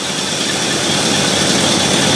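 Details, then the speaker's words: 1968 Ford Galaxie 500 with Holley carb, after the idle screw was lowered from about 620 to about 550 rpm: settled, even idle with no hunting or racing; idle set correctly, vacuum about 15. "okay that already sounds better it doesn't feel like it's trying to race and looking over at the tack that looks about right about 550."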